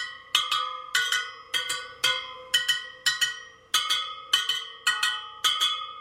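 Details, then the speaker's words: Sur Ron Light Bee supermoto front wheel build, second round of pinging spokes, about two a second: bright metallic pings with one at a slightly different pitch, so that spoke's tension is off and gets a quarter turn. "this one sounds a little different quarter turn"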